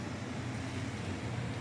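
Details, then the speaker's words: Zoned furnace air handler and coil serving master bedroom, sitting room and a small bedroom, fan running with only one zone open: steady low drone from back pressure of excess static pressure, not physical vibration; noise eases when a second zone opens; coil liquid line frozen. "doesn't it doesn't vibrate but I can hear the vibration and the vibration is actually coming the fact that the air pressure is actually pushing back and that's what's causing this here"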